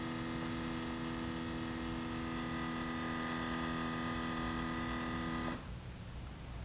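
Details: Brand-new 2012 Scion tC, parked with engine off five hours after last drive: steady electric-sounding buzz/hum from the rear near the exhaust area (fuel pump suspected), then cuts out abruptly; owner asks if this is normal.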